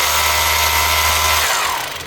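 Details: Makita HR2450 SDS drill after repairing a burnt-out motor with a new armature (517375-5), run forward at full power: smooth, even, high-pitched whir, then a clean wind-down, no grinding or rattle; motor sounds healthy.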